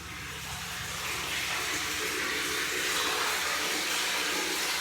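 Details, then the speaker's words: Off-grid spring cistern solar diaphragm pump, after it had become waterlogged and was re-primed by removing the PEX pipe: steady rushing hiss of water swelling in and holding even; pump primed, normal flow. "Once it primed and it did that, then here's the result of it. So you can actually hear it now."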